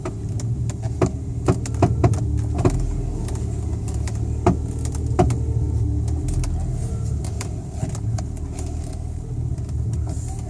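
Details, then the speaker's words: BMW, engine running, steering wheel turned: sharp irregular clicks from steering rack; passenger-side rack mounting bolt found slightly loose (about 30–40 ft-lb) and tightened to fix. "clicking so it's either a bad rock or it's just the Rock's loose so I have to jack it up and take a look see if I can tighten up the bolts and make it go away"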